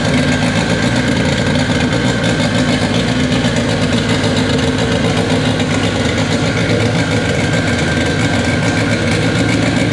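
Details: K24 engine in an all-wheel-drive Integra, first start on a FuelTech FT600 ECU after two days of settings: steady, even idle hum with no misses, knocks or surging; normal, healthy idle, fuel tuning still needed.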